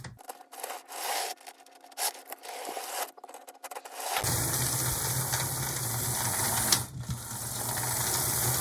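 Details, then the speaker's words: Athearn Blue Box HO scale B&O locomotive, stiff drive being freed with penetrating oil: after scraping, thin steady motor whine with low hum, running slowly and laboured, unable to take off on its own. "yeah I think just it's working it's just working kind of slowly and it'd be nice for this thing to be able to take off on its own"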